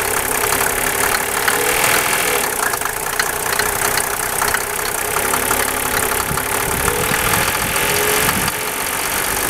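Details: Mercedes 300SDL with 603 diesel engine at idle: a steady clatter with a sharper, regular tapping from up top that keeps time with idle speed; owner suspects the valve cover area, possibly collapsed tappets, unconfirmed.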